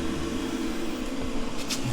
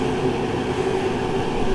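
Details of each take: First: Masterforce 20V 60,000 BTU propane forced-air heater, in a 43.7°F garage on high: the fan hums, then rapid igniter ticks about three a second before the burner catches with a louder roar. Ignition is delayed; owner thinks not enough fuel reached the burner yet. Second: Masterforce 20-volt 60,000 BTU portable forced-air propane heater running at full heat in a garage: a steady, somewhat loud roar of fan and flame with no rattles, knocks or surging. It operates normally.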